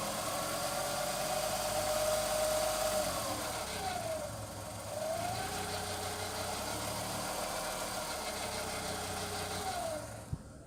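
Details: Skoda Fabia 1.2 HTP 60 PS: grinding, rubbing engine noise around 1300 rpm, heard only when the engine is warm, not when cold; wavering tone with faint gritty undertone as revs rise and fall; cause undetermined.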